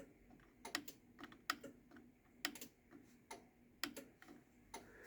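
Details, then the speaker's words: Newer Chamberlain/LiftMaster wall button with only one switch on the circuit board: crisp single clicks, one per press wherever it is pushed; working normally, a cost-saving design change. "You only hear one click no matter where you push the button."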